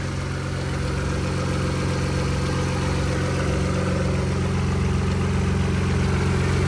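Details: Audi B5 S4, following coolant loss and overheating, warming up: even steady idle with smooth low hum, no ticks, knocks or whine; running healthy.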